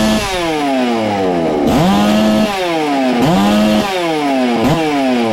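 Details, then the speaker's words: Ported Farmertec MS660 two-stroke chainsaw after adding a muffler-cover port, timing check and tach tuning (22° blowdown, 100 exhaust, 80 intake): crisp scream rises sharply on each throttle blip and drops back cleanly, no bogging; louder, normal high-rpm running. "wow it's got a lot louder hopefully we've done something wow oh"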